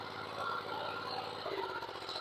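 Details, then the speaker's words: 1995 Cub Cadet 2000 series tractor single-cylinder engine, with PTO unplugged during PTO troubleshooting after it had run low on oil: steady even idle beat with no knocks or misses; idle sounds healthy. "I'm listening to it I don't know if you can hear it that well but it sounds like it's running good"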